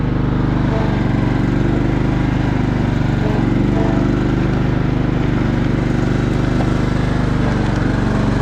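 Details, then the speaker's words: 2000 John Deere LX255 riding mower with hydro controls, traded in non-running and easily revived; owner thinks battery is weak, odd self-returning choke; single-cylinder engine holds a steady, even low chug at idle with no misses or knocks, runs great. "But yeah, I'm gonna have to try to hold the camera here. Yeah, it runs great."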